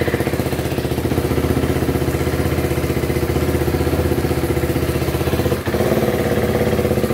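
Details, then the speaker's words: KTM Duke 390 with a hard-starting problem, new battery fitted and a short open exhaust pipe, once finally running: single-cylinder idle pulsing about three beats a second, slightly uneven with occasional dips; owner suspects a slight misfire. "medyo parang may palya malalaman natin to yun tahimik naman ayon umandar na mga sir"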